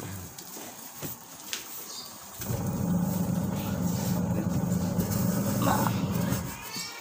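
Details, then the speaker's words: Washing machine spin test after replacing the damaged gearbox and the spin cable: the motor starts and holds a steady, even hum with no crunching or rattle. The earlier rattling noise and weak spin are gone, normal spin. "udah waktu saya cek terdengar bunyi seperti di rontok itu ya tapi sekarang udah normal"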